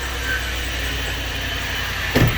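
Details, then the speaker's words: 2006 Range Rover Sport Supercharged V8, just started after a battery hookup: a steady idle with a thin, high, unwavering squeal. The owner calls it a belt noise and plans a new belt; suspected, not confirmed. "I ain't going to let it run too long. I got a belt leak. Hear that belt? That's a belt sweep. That's a belt sweep."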